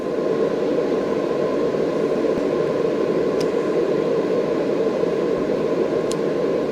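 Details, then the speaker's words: AC Infinity Cloudline S6 inline duct fan in a 4x4 grow tent, stepped from speed 4 up to wide open: steady airy roar and constant mid hum with no rattles, ticks or pulsing; running smooth. "4, 5, 6, well, that's 7. And that's wide open."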